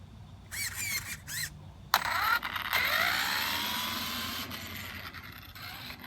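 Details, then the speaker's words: DHK Maximus 1/8 scale brushless 4WD RC truck, test run after front differential gearbox replacement: high electric whine rising and falling with each throttle burst, with no grinding, clicking or gear chatter; the drivetrain runs smoothly. "Sounds really smooth."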